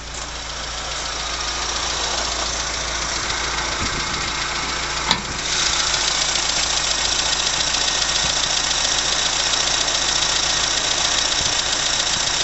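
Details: 1980 Leyland Mini after about 3 months of sitting, choke pushed in: quiet, steady warm idle under a lot of hiss, no knocking or hunting; healthy normal warm idle.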